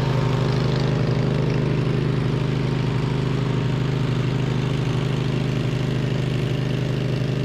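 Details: 2007 MTD/White Outdoors 54-inch zero-turn mower, twin-cylinder, after repairs with charging fixed: steady, even low thrum at constant speed while cutting, no misses or knocks; normal running under load.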